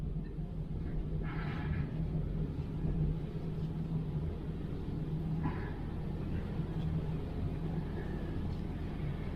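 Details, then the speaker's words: 2003 GMC Savana 2500 van with Hydro Boost, being bled for a power steering leak; engine running, wheel held at lock, a steady low groan under the engine rumble as air still works out of the gearbox and pump. Power steering groan from air in system. "This will just work all the air out of the rack, or power steering gearbox, pump, whatever you've got. It's going to talk to you a little bit when you hit lock."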